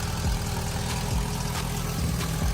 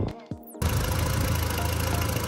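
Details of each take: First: MK1 Audi TT turbo restarted after rocker cover gasket replacement with RTV cured 2.5 hours: catches and idles with a regular chuffing puff about three per second on the exhaust note; exhaust leak, blow sounding worse than before. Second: MK1 Audi TT turbo after rocker cover gaskets, oil return pipe gasket, engine flush and new sump pan (oil pickup probably roughly 80% blocked): brief clatter then smooth, even idle, sweeter than before; normal idle.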